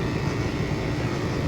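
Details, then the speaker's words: Home AC outdoor unit with a dirty coil, measured about 4.5°F subcooling and definitely undercharged with refrigerant: heavy, rough low rumble with coarse churning and no clean hum; compressor sounds bad, cause unconfirmed. "4.5 de sub coin we definitely undercharged and that compressor sounds like [ __ ]"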